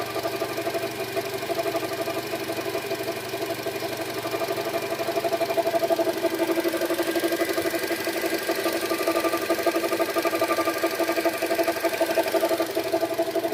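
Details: Renault H4M engine, 52,000 km: even ticking knock over idle at about two to three per second, steady pace throughout; engine knock of unknown origin.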